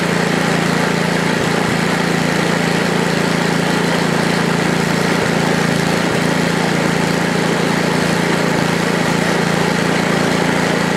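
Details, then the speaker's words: Ariens ST824 8hp snowblower, choke on, throttle stuck around mid-range: small single-cylinder engine starts right up and settles into an even, steady mid-throttle putter with no misses or knocks; normal running. "well started right up think you love it right away"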